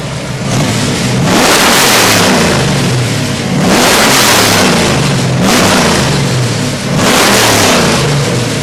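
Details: Freshly built 427W Ford V8 (538 hp street crate engine) for an AC Cobra: crisp blips rise and fall back to a steady idle three times with no misses or knocks; normal revving.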